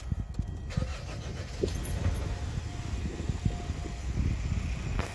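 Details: 2013 Hyundai Sonata, cold, after recall work: the engine cranks and catches, then a low, uneven knock rides under the idle. Rod knock is suspected after the engine burned through its oil, with codes P0014 and P1326.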